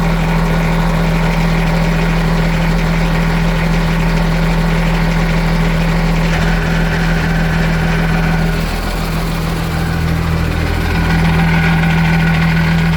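Steady low engine idle with a light, uneven rattle riding over it; something loose in the outdrive, cause not pinned down.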